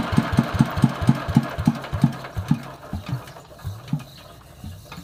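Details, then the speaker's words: Yanmar TF115 LM single-cylinder diesel before repair, starting very hard: catches with heavy uneven thumps that slow and fade within seconds; mechanic plans to check pump plunger, injector and pump valve. "โอเคครับติดยากมากเดี๋ยวยังไงเดี๋ยวลองดูลูกปั้มดูหัวฉีดวาล์วปั๊ม"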